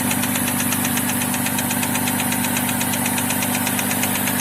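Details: Chevrolet Epica idling after a short drive, oil near minimum on dipstick: sharp, regular knock about twice a second over an even idle; engine knock, suspected serious internal wear.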